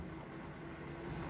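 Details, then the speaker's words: LG WD13BVC2S6C washer-dryer drain pump with a folded microfiber cloth at the hose opening to stop resonance as it pulls air: low even hum, no rattle or boom. Drain pump runs quietly. "todo ese ruido se amplifique y con este poniendo un pañito acá no más, se reduce mucho el ruido que del de la bomba."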